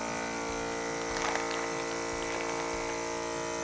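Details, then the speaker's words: ForJars vacuum sealer evacuating a textured bag of wet product, seal time 5; steady even electric pump hum with whiny buzz, no stutter or rattle, drawing air down smoothly before sealing; normal pump operation. "it has taken all of the air out, the seal button will turn on and then the start button will blink."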